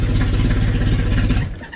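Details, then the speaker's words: Honda Civic wagon on pump gas, second fire-up attempt, super cold start with no idle air control valve and lots of air going in: engine fires, runs lumpy, then sags and fades, struggling to hold a rough cold idle (suspected cause, unconfirmed). "It's just a super cold start. No outer air control valve. Giant air going in. So, the car is like obviously struggling to try to stay awake right now."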